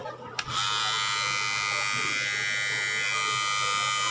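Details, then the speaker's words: Cordless hair clipper after switch repair and reassembly: even high-pitched electric buzz holding steady with no rattle or grinding; noise is normal, sounds louder on the phone recording, with street noise around; running normally. "Tama lang yung ingay niyan mga kabards, maingay lang yan sa cellphone. Pero pag nasa na siya, sa actual, okay siya."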